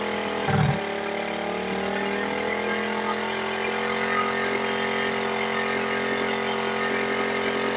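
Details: Smash 110 that would not idle, after carburetor air and idle screw adjustment: steady, even idle hum holding speed without dipping or stumbling, no longer stalling; normal idle.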